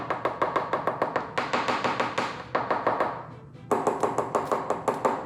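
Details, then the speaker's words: Porsche 944 fiberglass rear hatch, coin tap test for disbonds: quick taps, some giving a flat, dead knock over a large void (air pocket not filled with epoxy); dull tap-test sound over composite disbond. "And then as you go across, once you get to a void, it's going to create a dull sound."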